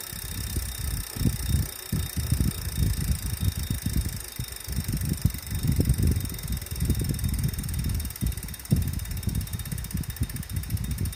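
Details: Wahoo trainer after cleaning and 30-minute warmup: uneven low rumbling thumps pulse irregularly under a faint steady whir; still mechanically noisy, source not pinned down.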